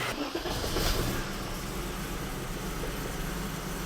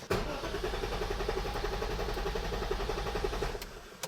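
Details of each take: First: BMW E34 with Metric Mechanic 3.7L stroker M30 on a newly installed untuned standalone ECU, new plug wires, 2017 cap and rotor: untuned cold start catches and settles into a steady, even idle, all cylinders firing; O2 not yet heated, running very rich. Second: BMW E34 with Metric Mechanic 3.7 L stroker M30 engine, just fitted with a plug-and-play standalone ECU running a base tune: steady, even cranking about four turns a second for over three seconds, no catch; cranks but won't start.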